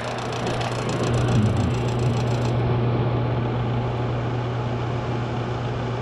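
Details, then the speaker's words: Washroom exhaust fan: steady low hum with buzzy rattle from a part touching the fan, rattle drops away once the part is adjusted away. "so Ayun nga guys inadjust lang natin to Ito lang yung dumidikit guys tian mo So ilalayo lang siya natin"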